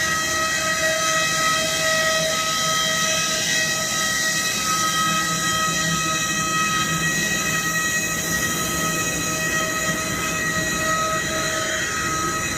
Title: What causes this loud sound on the aircraft?Anyone knows why the aircraft is making this loud noise?